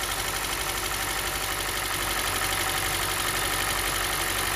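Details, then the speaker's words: 2017 Hyundai Elantra with check engine light, idling rough with a lumpy pulse about four per second and visible shaking; code P0301 cylinder 1 misfire from a failed ignition coil. Plugs changed ~30k miles earlier; engine previously ingested flood water. "The car is running rough. It's got a check engine light on."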